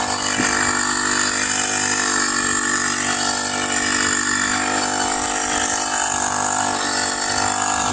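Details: Honda GX35 grass cutter after cleaning its dirty carburetor: small four-stroke buzzes at a high, even pitch with steady output and no misses or surging. Normal running.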